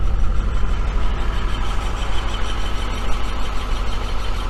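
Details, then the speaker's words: 1980 Dodge Colt Challenger (Mitsubishi Galant Lambda), sat 15–20 years, on jack stands, float bowl hand-filled: steady low rumble in gear under light load, no knocks or slipping; transmission engages and turns hubs. "i guess the transmission works [Music] well that's what we wanted to find out the transmission works or not and it looks like it does"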